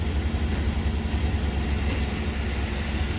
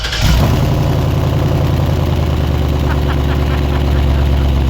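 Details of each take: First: Cat-eye Ford truck idling on its quiet stock exhaust, which the owner calls pathetic before fitting a new exhaust: a low, soft, even idle rumble with no knocks or misses, a healthy engine. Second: Cat-eye Ford truck with dual exhaust pipe hacked off: engine catches and settles into a deep, throaty idle rumble, louder than stock, from the open cut-off pipe.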